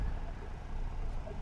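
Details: Hyundai Eon just after in-tank fuel filter replacement, fuel pump primed before starting: low, soft, even idle rumble with no ticks, misses or whine; normal idle.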